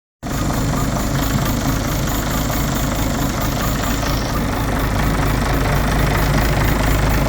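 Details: Citroën C5 2.0 HDI 180 diesel idling with a rough, clattery note and a faint rapid tick about four times a second over the hum; abnormal engine sound, source unknown.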